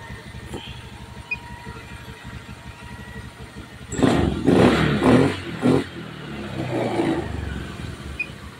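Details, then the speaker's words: Honda Beat FI scooter after a new piston and rings were fitted for a rough-sounding engine. Quiet even idle, then clean throttle blips rising and falling smoothly with no knock or rattle; middle engine and CVT now sound smooth, repaired. "on engine mesin alus ya Mas bagian CVT terus mesin Tengah halus Mas suarane WS halus Mas on engine tanpa mikrofon B tetap halus"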